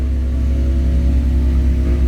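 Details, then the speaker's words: Honda Jazz automatic, formerly misfiring and rpm-limiting, after cleaning IACV, throttle body, spark plugs, ignition coils and adjusting throttle cable: steady even idle after start settling from 1,600 rpm, no misses or surges; healthy idle. "Umangat 1.6, dahan-dahan bumaba. Good idling. Good start, kumbaga."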